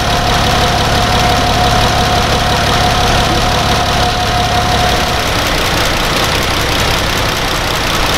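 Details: Dodge Grand Caravan 3.6 V6 idling while warming up during a coolant change and air bleed, cooling system open, before the thermostat opens: smooth, even idle hum with a faint fan whir, no knocks or misses; healthy normal idle.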